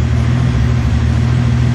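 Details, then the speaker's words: Datsun 280Z turbo on MegaSquirt engine management, still warming up and being tuned: steady, even low burble with no stumbles or gaps; a smooth, healthy idle that purrs like a kitten. "but man do you hear how that just it purs like a kitten"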